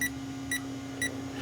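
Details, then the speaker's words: Power Probe fault finder tracing 2008 Saturn Astra P0693 cooling fan relay 2 circuit harness; short high beeps about every half second over low hum where signal is picked up, then lost; a corroded wire was found at that connector. "And then if I followed the harness, I don't know what I just did there, but you could see nothing happening. But it starts picking up here, and then I lose it here."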